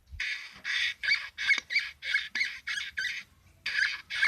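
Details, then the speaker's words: Braun CombiMax K700 food processor: sharp, high chirping squeaks as the bowl turns on a dry, unlubricated shaft bushing. "но сейчас разберем посмотрим что же там скрипит ну в первую очередь я бы нарочно обнаружил проблему скрипов сама чашки вот такой вот звук"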